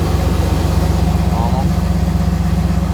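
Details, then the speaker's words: Iroc Camaro idling after repair of the hissing dash vacuum selector valve: even low idle thump, about four beats a second, no hissing; vacuum system sounds sealed, normal idle. "I don't hear it. No hissing."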